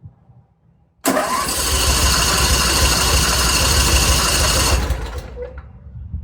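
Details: Simplicity 50-inch zero-turn mower with a Briggs & Stratton 27 hp engine: a long, even starter churn without catching while fuel pumps are being swapped. It cranks too long because fuel drains from the line after sitting; an aftermarket carburetor made no difference.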